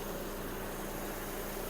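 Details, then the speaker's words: 2009 Skoda Octavia A5 1.6 MPI petrol, dealer-serviced: engine idles quietly and evenly, no stumble, no smoke, A/C compressor engaged; normal idle. "Мотор працює тихо-рівно не димить не троїть клімат справний"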